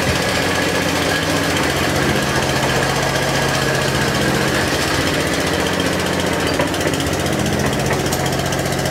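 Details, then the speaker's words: Atco Balmoral 14S cylinder mower with a Tillotson carburettor, after repair of a grinding drive that would not push forward, choked and run to check the drive: steady, even engine under drive, no grinding or slipping; normal running. "yeah perfect that'll do okay so that's the repair done on the akko balmoral"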